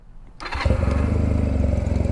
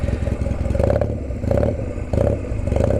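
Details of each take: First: Honda Rebel with an exhaust the previous owner cut: warm start, firing first try and settling into a loud, even, deep thump through the open exhaust. A normal warm start. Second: Honda Rebel, warm, at idle: a deep, loud, lumpy thump with coarse uneven pulses and little muffling, because the previous owner cut the exhaust. Loud exhaust from a cut muffler.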